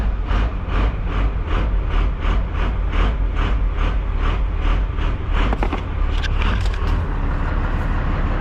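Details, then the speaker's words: 12-valve diesel truck, cranked long to prime oil, owner thinks crank too long: slow even starter beats for about five seconds, then diesel catches and runs steadily. "I had to crank it to prime it for the oil, but I don't know that. I think that was too long of a crank."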